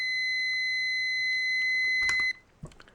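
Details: Multimeter continuity beep-test for automotive blade fuses via decade box, test leads reading 4.2 ohms: a steady high beep at about 40 ohms lasts two seconds, then cuts out. This meter's beep threshold is roughly 50 ohms at 9 volts.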